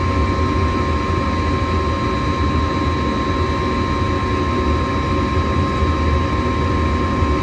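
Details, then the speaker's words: Home gas furnace, checked for a suspected bad igniter after it was shutting off before heating: igniter glows red, gas valve clicks open and burners light; steady even roar and hum with blower running smoothly, no rattles or surging. "well I didn't hear it but there you can see it's glowing red hot then we're going to hit another click turning the gas on pretty soon there you go there's that click open the gas out and we got fire"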